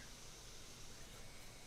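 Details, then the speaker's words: MSI GS66 Stealth gaming laptop, just powered on before overheating repair: cooling fan racing, steady rushing air hiss near full speed, whizzing then stopping; owner suspects bundled fan-control software. Laptop runs near throttling temperatures at low CPU usage. "do you hear that fan why is that fan racing why is that fan racing like that good God why no stop"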